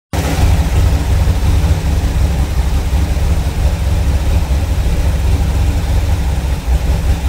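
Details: Cold-start engine after vacuum leaks were fixed: catches straight away and settles into a smooth, steady, deep idle with no stumble or hiss; running right.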